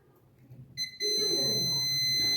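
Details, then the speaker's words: 15-year-old fridge, clamp meter on continuity, probes on the lead's L point and red wire: steady high-pitched beep as the probes touch, with some resistance shown; the wire is intact. "कि आप सुन पा रहे हैं beep की आवाज आ रही है इसका मतलब है कि ये वायर सही है"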